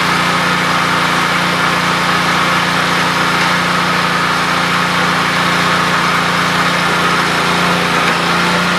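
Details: Free 48-inch Lesco commercial walk-behind mower, engine running after transmission checked and working: even, steady buzz at constant speed with no misses, knocks or surging; normal running.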